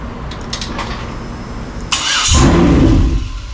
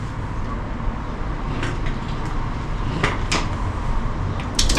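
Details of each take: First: 2003 Yukon 5.3L LS being swapped into a 1994 C1500, run on the engine stand: the starter clicks and cranks, it fires on all eight and roars about a second, then dies and won't stay running. The body control module was unplugged. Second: 2003 Yukon 5.3 L LS V8 on an engine stand for swap into a 1994 C1500, first successful run once the body control module was plugged in: steady low rumble holding an even idle, a few handling clanks; running normally.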